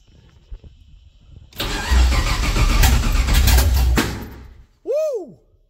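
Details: 1969 Camaro with LS3 V8 swap on a Holley ECU, first fuel-injected start: rough sputtering catch with loud irregular pops and bangs, then cuts out; backfiring and misfire.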